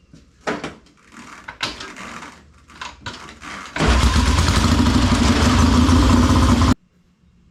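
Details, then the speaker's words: 1967 Triumph custom chopper, straight-pipe 650 twin with magneto retimed at full advance: loud open-pipe engine catches and runs fairly even for about three seconds, then cuts; timing seems right, carburettors still need adjusting and warm-up. "right timing seems to be set carbs need to be adjusted a little bit more but we need to get it warmed up so let's go ride this thing"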